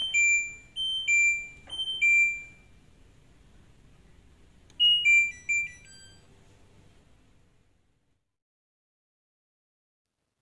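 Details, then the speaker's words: LG front-load washer WD-M1070D6 during draining and spin-drying: repeated two-tone chirps signalling the LE error (motor overload). It persisted after a 30-minute rest; the cause was the rotor position sensor. "lambang Elle adalah beban berlebihan di motor disarankan untuk diistirahatkan selama 30 menit"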